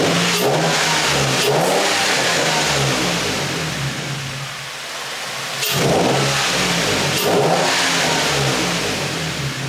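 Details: Nissan G35 drift car, first start after installing low-mileage replacement engine, Godspeed exhaust: catches and revs cleanly up and down, even and smooth with no knocks or rattles; no leaks or noticeable issues.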